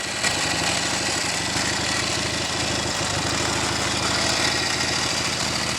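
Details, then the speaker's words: Norton Navigator 350 single-cylinder idling in neutral with a busy steady metallic clatter over every beat; tank rattling contributes, but much of the noise suspected due to a gearbox fault with no second gear. "yeah that's the tank rattling around making that noise we can deal with all things like that if and when I get the gearbox sorted a lot of that noise I think is due to the gearbox fault"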